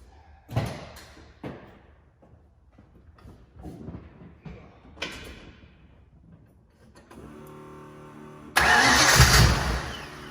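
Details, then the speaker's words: 1977 Mustang Cobra II V8, bought as a "blown motor", first start on purchase: the starter whirs in bursts, then it catches and settles into a loud, even idle with no knocking; it sounds healthy. "I think we got a hell of a deal, boys. I'm so happy."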